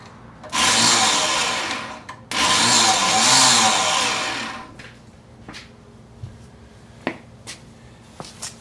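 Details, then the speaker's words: Mid-1990s Kawasaki Mule 500, possibly a 1996 model, starter energised by crossing the relays; motor whirs freely at high pitch in two bursts but the crankshaft doesn't turn, so the starter clutch is slipping and likely needs replacing. "we suspected there's no there's no motion here so what there is there's a clutch inside that starter I believe that we're going to have to replace"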